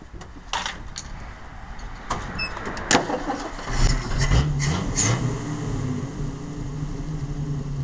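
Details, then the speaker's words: 1968 Ford truck started after new ignition points fitted, timing possibly still to reset; cranks, catches and settles into lumpy, uneven, wandering idle; rough idle, vacuum leak or poor carburetor suspected, not confirmed. "oh still got a vacuum leak it seems like or maybe it's just that shitty ass carburetor"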